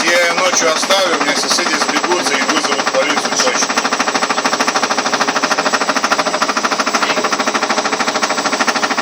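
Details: Ariston washing machine on spin with a normal laundry load: hard, regular knocking two to three times a second, keeping pace with the drum; the machine doesn't jump and nothing rubs, something inside is striking loudly.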